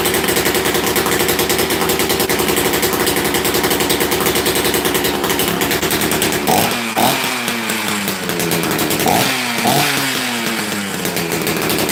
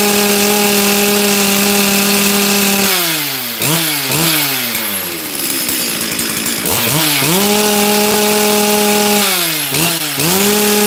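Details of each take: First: Rarely run chainsaw, started after sitting: crisp two-stroke buzz with quick throttle blips that rev up and fall back cleanly; running healthy. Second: Chainsaw with a brand new carb, previous carb behaving the same, low jet being adjusted: screams at high revs, then sags and blubbers repeatedly, as if limited. Running extremely rich.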